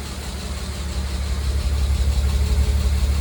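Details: Mercedes W202 C280, M104.941 engine, 193k km, timing chain, tensioner and head gasket replaced, 10W40 oil plus lifter additive: steady dull tapping about three per second from startup that follows revs; suspected lifter, unconfirmed.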